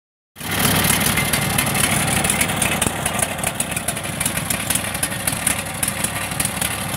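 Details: Craftsman DLT3000 lawn tractor single-cylinder engine after ethanol-fuel damage. Backfire prevention solenoid, main jet, fuel line and tank grommet were replaced. Fairly steady, slightly uneven putter with no misses; some smoke from water and oil in the exhaust after lying on its side. Normal running.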